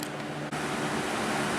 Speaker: like I was saying the Sunbeam is out it's running just fine um probably needs to be cleaned but I don't really care too much about that the Cheapo sitting over there is working just fine as well no problems with it